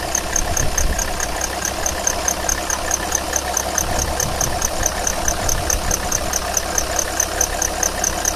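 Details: 2001 Alfa Romeo 156 2.4 JTD diesel at idle: a fast, regular bird-like chirp in time with the engine, heard below about 1100 rpm and above 1600 rpm. Cambelt was done 8000 km earlier. Aux belt is new, but the crank pulley damper is worn. Owner suspects the aux belt.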